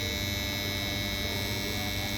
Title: Strange noises from capacitor cabinets | Hiện tượng này là gì?